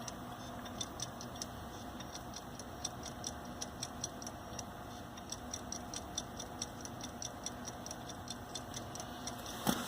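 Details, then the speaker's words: Hitachi hard drive failing in a Linux mdraid RAID1 during replacement: quiet, sharp clicks about twice a second over a faint hum as the drive locks up, the rebuild slowing and stalling near 90%. "Yeah, it's this drive here. This is that Hitachi drive from my video that was failing."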